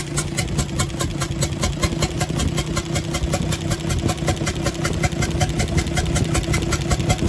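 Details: UD Nissan PKD 411 truck, NE6 six-cylinder diesel at idle, intake pipe opened: sharp, regular chuk-chuk about two to three times a second from the intake side over the diesel clatter. Rockers checked fine; an intake valve is leaking, and valves are being replaced.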